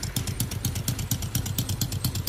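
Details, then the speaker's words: Brand-new Jincheng (Honda-type) 110cc two-clutch motorcycle engine, bench test: even putt-putt idle, about eight firing pulses a second, smooth and steady with no knocks or whine; healthy idle. "Đấy, test nổ máy nổ cực êm luôn. Không tí gọng hú gì của máy nhá."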